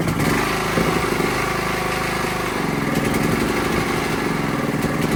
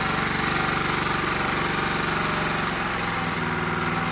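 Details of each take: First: Honda GX270-type small engine after valve clearance adjustment, bottle-fed fuel: steady, even, quick putter with no misses or ticking, smoother and quieter than before; normal running. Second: Honda GX270-type small engine, run on bottle-fed fuel, throttle a little under full: rapid even tapping about four per second over steady run; excessive valve clearance.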